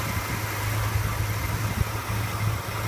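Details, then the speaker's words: 1966 Ford Mustang GT fastback, rebuilt 289 V8 at idle: smooth, even low rumble with no knocks or misses; healthy and settled. "We'll start her up. We'll have a listen to her. As you can tell, this motor purrs."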